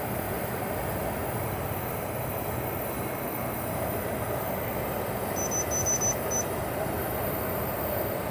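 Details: Hisense dehumidifier after compressor startup, refrigerant hissing audible, set to full fan: steady, even airflow hiss over a low hum with no knocks, rattles or surging; compressor and fan running smoothly.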